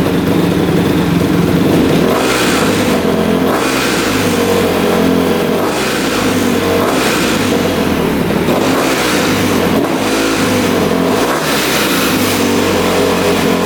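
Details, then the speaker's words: 2006 Honda CRF250R single-cylinder, fully rebuilt (new bottom end and top), apparently the first start since the rebuild after the throttle screw was adjusted. It catches cleanly and revs evenly with smooth throttle response and no misses; the owner believes a clogged line was the earlier cause. "Well, she fired right up. Took a little bit. I adjusted the throttle screw down below, and that seemed to work. Fired right up after I did that. And yeah, sounds really good."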